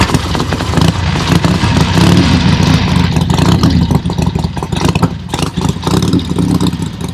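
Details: Harley-Davidson XLCH Sportster (Ironhead) show bike first fire-up after oil pump priming and clutch fix: lumpy V-twin fires and pulls through throttle blips, even and free of knocking; healthy engine.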